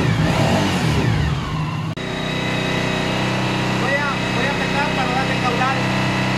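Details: 2013 Suzuki V-Strom 1000 with fuel pressure holding 40 psi: engine runs with an uneven, stumbling beat that never settles into a clean rhythm; misfire, cause not yet pinned down, with injector cleaning planned.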